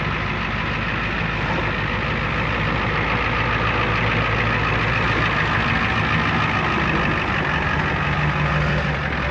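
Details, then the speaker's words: 1994 Ford F350 diesel ex-fire truck, previously non-running from a fuel issue, switched to the rear tank: deep steady diesel clatter, even idle without stumbles or surging; running fine. "this is a very nice truck I can't believe that thing fired up"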